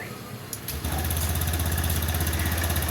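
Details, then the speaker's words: Honda Scoopy with hard morning starting and white smoke, after a day's service including fresh oil: starts first try and settles into an even, steady putter at a quick idle, no knocks or misses. Sounds factory fresh. "Bunyinya sangat bagus sekali seperti pabrikan, Teman-teman, ya."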